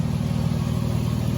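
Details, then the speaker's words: 2006 Toyota 4Runner with intermittent no-start when hot, after rewiring the loom to the park/neutral range sensor: even steady low rumble with no misses, knocks or ticks; engine idling smoothly while warming up, sounds healthy. "all right I'm gonna let it heat up okay the truck's running I'm letting it heat up"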